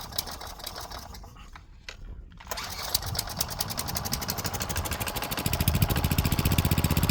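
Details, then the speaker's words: Craftsman wheeled weed wacker, found dirty, missing its spark plug and sat for an unknown time; it catches after a pause and runs ragged only on ether. Suspected dirty carb with old fuel and gunk; jets and fuel pickup may need clearing. "The carb is probably dirty. Probably still has some old fuel and gunk in it."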